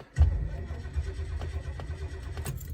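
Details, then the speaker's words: 1972 Lincoln Mark IV, 460 V8, long-sitting, replacement battery: uneven cranking catching into ragged firing once fuel is poured into the carburetor; spark present, no-start was fuel starvation. "might not be any spark feel like I want to put some more fuel in that"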